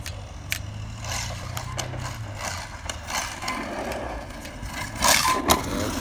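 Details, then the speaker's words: Arrma Outcast 6S RC car with bulletproof diffs after four years: sharp uneven clicks and snaps over electric motor hum, getting louder; center differential failed; extra shim added to front diff. "Does this sound like one of my planetaries, or something going on in the one of the diffs? I think it might be the center. You kind of hear it. Clicking."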